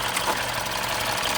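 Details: 2015 Mini Cooper S Copart rebuild, running after a new belt was fitted and the induction hose reconnected: even, fast idle with a light, regular valvetrain patter and no stumbling; running smoothly.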